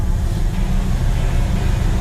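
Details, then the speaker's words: 1956 Chevy Bel Air V8 after carburetor rebuild, cold start with partial choke still on; idle picks up RPM and smooths as choke is released, deep steady even rumble, no knocks or misses: normal cold idle on choke. "So now you can hear her picking up RPM. You can hear the idle smoothing out a little. We can release a little more of the choke."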